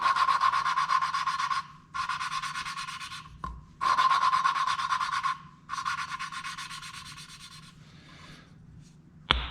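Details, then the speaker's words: Hand lapping a cylinder-head valve with a suction tool and compound: gritty back-and-forth rasping strokes about 1.5 s each with a ringing edge, easing off as the compound thins. The tone change signals regathering grit. Normal valve lapping. "grind it now you can hear it start to change pitch that's usually a good point when you lift the valve up a little bit and you kind of recollect reconnect and gather some more of that grid up"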